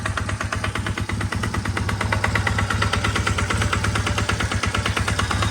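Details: Honda Rebel 450 single-cylinder at idle after valves adjusted: loud hard knock on every beat, about three per second; source unknown, suspected bottom end or cylinder head: engine knocking.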